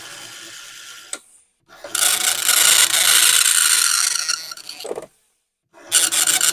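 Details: Commodore 1525 dot matrix printer for Vic-20/C64, never tested before, self-test, noise cover on: loud raspy buzzing in line-long passes of a couple of seconds, short carriage-return gaps; normal printing.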